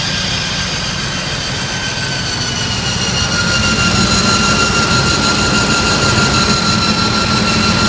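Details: Unusual high, steady whine sitting above a rough-running engine, creeping up slightly in loudness; an odd noise whose cause is not yet known.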